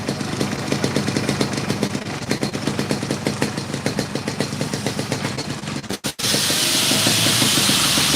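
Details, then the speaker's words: Yamaha RX King 1997 with a YP4 block: quick, even popping at a steady idle with no misses or knocks; engine dry, no leaks, sound still cool; a smooth, healthy two-stroke tick-over. "Untuk kondisi mesin kering, tidak ada bocor-bocor atau ngames, dan suara pun masih adem."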